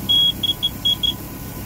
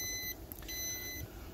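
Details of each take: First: Volvo Penta 4.3 GL engine in a 2002 Four Winns Horizon 180, alarm beeping with normal gauges: high piercing beeper chirps then six steady beeps as a temperature sensor wire is shorted to ground; failed sensor replaced. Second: 2002 Four Winns Horizon 180 with a Volvo Penta 4.3 GL engine, ignition on and engine stopped: steady high beeps about half a second long with short gaps. This is the normal alarm for no oil pressure yet; the continuous-beeping fault was later traced to a failed temperature sensor.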